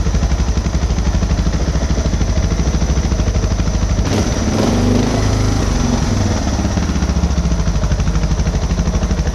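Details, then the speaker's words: 2006 Suzuki DR650 single with FMF header, slip-on exhaust, drilled airbox and carb slide, during carb screw and idle adjustment: idle sags and picks up by itself with no throttle, speed bouncing; idle hunting. "Yeah, see, it's kind of bouncing between the 2 again, ain't it? Yeah. You know, it picks up again."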